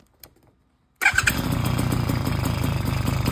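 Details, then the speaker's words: Bullet Train BT80 bicycle engine kit, completely cold start many hours after last run: cranks once, catches straight away, settles into steady even putter without stumbling; normal cold start. "Here's me doing a completely cold start on the engine itself. So, this is many, many hours after running. And lo and behold, it turns right on."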